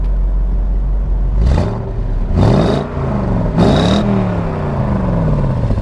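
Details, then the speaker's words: 1994 Corvette ZR1, 405 hp, 6-speed: three quick revs rise cleanly and fall back to a smooth, even idle with no knocks or misses; sounds great, engine healthy. "Sounds great."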